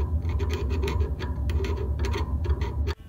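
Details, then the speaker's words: Dryer motor pulley, heard through a screwdriver: scraping drag with a sharp tick about three times a second from a raised burr left by clamping with channel locks, which shredded the belt; fixed by filing smooth. "suspect that little tiny piece of metal sticking up shredded my dryer belt one turn at a time"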